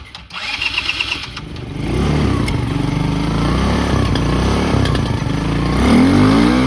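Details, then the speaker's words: 2010 Polaris Ranger RZR 170, sat for years: small single picks up and settles to an uneven, lumpy idle; owner thinks it just needs air screw adjustment; unsteady idle. "I think it just needs an air screw adjustment now idles now"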